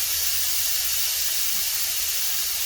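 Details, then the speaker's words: Eastwood Elite QST 30/60 scroll air compressor with a new pressure switch, after shutting off near 145 psi: steady even hiss as the unloader air line bleeds pressure, venting normally. "That air you hear it's got an air line that releases pressure out of here. Comes down around, that's what this guy is, and it's blowing air out right now."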